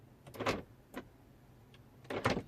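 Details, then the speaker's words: BMW F01/F02 passenger door, lock or unlock pressed by remote or interior button: short whirring buzzes from inside the door with no solid latch clunk. The lock actuator runs but the pin doesn't move. "when I press either with the key when I press the lock or unlock there is a noise coming from inside the door but obviously the the pin doesn't"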